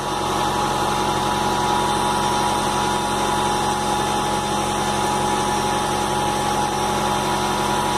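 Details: Fiat Palio Weekend four-cylinder at steady idle, even drone with a faint high whine and no clear misfire; head removed, head gasket found burnt with water passing the cylinder seal rings into the cylinder, blown head gasket.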